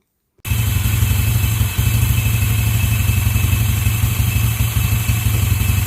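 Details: Yamaha Mio scooter after fixing starter one-way clutch noise from a replacement local one-way, cut down further since 0.8 mm still rattled: steady, even low idle thump with no rattle or grinding from the starter side; normal idle.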